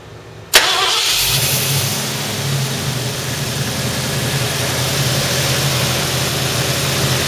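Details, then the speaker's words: 1972 Ford Mustang 351 V8 after its 2-barrel carburetor was replaced with a throttle-body fuel injection system adapted from a Chevy pickup. Starts instantly into a smooth, steady V8 idle with no misses. "So, it runs seems to be pretty smooth. Seems to uh seems to run pretty well."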